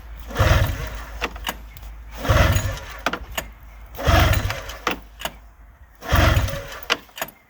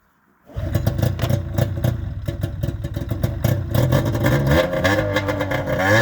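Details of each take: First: 2000 Arctic Cat ZL440 two-stroke snowmobile, first start after used-parts rebuild: loud raspy blats in bursts every couple of seconds, sharp undamped crackle; running straight pipe with no muffler. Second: 2000 Arctic Cat ZL440 two-stroke after a rebuild, after clearing a flood; catches into a crisp, even crackle, revving cleanly with no misses; runs healthy.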